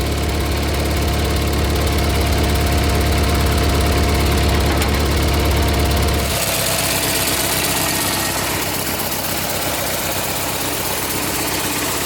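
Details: A tractor that sat all winter, now running on a GoldenMate 12.8 V 20 Ah LiFePO4 jump-pack battery after its circuit breaker reset, idles while warming up with a steady single-cylinder putter of about three beats per second and no knocks or misses; it sounds healthy.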